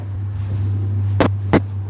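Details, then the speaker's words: Steady, even low hum with a few thumps from the fuel pump of a 1986 Nissan 300ZX Turbo rebuild, run briefly with the fuel lines disconnected after reinstalling it; normal priming. "Don't want to run it for too long because those fuel lines aren't connected. So yeah, everything sounds good."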